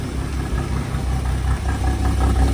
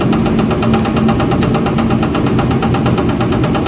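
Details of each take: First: 1962 Ford Falcon, first start of the freshly installed replacement engine (the old one developed a rod knock), new oil and filter: smooth, quiet, even idle with only a faint valvetrain tick to be adjusted, no knock. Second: 1962 Ford Falcon with a freshly swapped replacement engine, running at steady speed; fast, even tapping knock, loudest at the back of the oil pan via stethoscope; owner is pretty positive the pan is being hit, not an engine fault.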